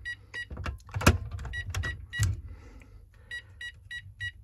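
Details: Texecom Veritas alarm keypad on arming attempt: short groups of high-pitched beeps among handling clatter; four beeps mean zone 4 is open, so the system won't set.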